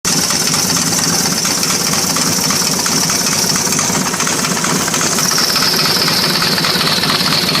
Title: S and S 80 evo knocking sound ??